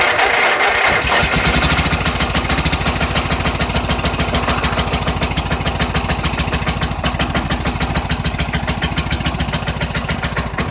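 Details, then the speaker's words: Small single-cylinder snow blower on a cold winter start: fast, even chugging that never drops back as it warms because the choke is stuck on; won't otherwise stay running. "okay I leave it running cuz it's uh stuck on choke oh my gosh ahhhh gasp the choke is stuck on on this"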